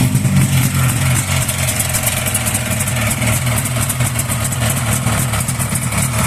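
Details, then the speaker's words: Buran Leader snowmobile two-stroke engine at idle with the fan cover removed: an uneven idle with a rough, irregular rapping; the fan is ruled out and a crankshaft or piston knock in the cylinders is suspected, unconfirmed. "Вроде не вентилятор, что-то в цилиндрах."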